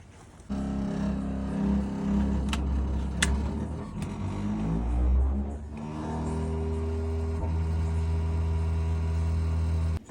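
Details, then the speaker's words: Worcester Bosch 30 SI combi boiler with the case off, heard while firing: a loud, steady low drone that wavers in pitch, from a failing fan bearing. "Alright, let's have a listen with the case off. Safe to say I think that fan's had it."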